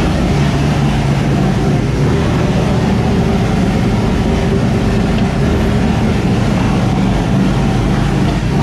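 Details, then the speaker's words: 1999 Mustang GT (SN95) freshly swapped to a new 5.0 Coyote V8, first start, no mufflers, JLT cold air intake, untuned: loud deep V8 idle with uneven choppy lope, open-exhaust roar. Owner suspects intake airflow upsetting the computer; needs tuning. "so obviously we still have no mufflers hooked up and need a little bit of tuning the i think the all the airflow from the jlt cold air intake is thrown off the computer a little bit"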